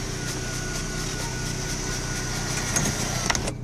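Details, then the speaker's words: 2000 Renault Laguna Alize, right-hand drive, 100k miles, engine idling: power windows raised with steady even motor whir, no grinding, straining or clicking; both go up like new, normal operation. "there you go our power windows are down let me put them up so you can just so you can see they both go up like brand new"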